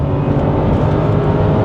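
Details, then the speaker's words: Salvage 2010 BMW 550i Gran Turismo AWD, 400 hp V8, about 113,000 miles: deep strong roar at full throttle, redlining and getting up to speed cleanly with no misfire, knock or rattle. "It redlines, no problem. And it has no issue getting up to speed."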